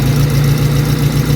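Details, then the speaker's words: High-mileage Honda EK hatchback at idle and revving: deep steady idle with a raspy puffing edge pulsing at firing rate, sounding horrible; a crack on the exhaust manifold is leaking, new manifold and exhaust to be installed. "It already sounds kind of horrible, but I'm gonna rev it so you guys can hear how bad it really sounds. Yep, sounds like shit."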